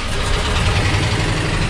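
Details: VW T3/T25 bus, always slow to start with a battery earth cable getting hot, after fitting a new homemade earth cable: caught straight away and runs cleanly, a steady mid-pitched hum with no stumble or dragging crank.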